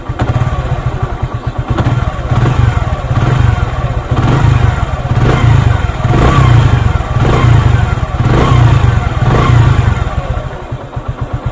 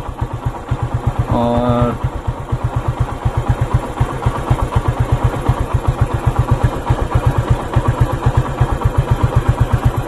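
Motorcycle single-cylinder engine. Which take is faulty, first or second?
second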